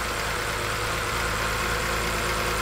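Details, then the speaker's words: 2007 BMW 328i, N52 engine, crank-no-start, fed 65 psi pressurized fuel externally into the rail: steady, even idle with no misses, so crank and cam sensors, injector pulses and spark are fine; the car's own fuel pressure is missing. "so that tells us crank sensor is good cam sensors are happy it's starting it's running we're getting fuel injector poles we're getting spark we're just missing fuel pressure"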